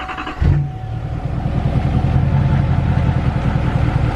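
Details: 2020 L5P Duramax with CP3 conversion, after replacing 60 PSI spring and priming air from the lift pump: cranks briefly, catches and settles into steady even diesel idle with low clatter; rail pressure then near 6,000 versus 11-12,000 before.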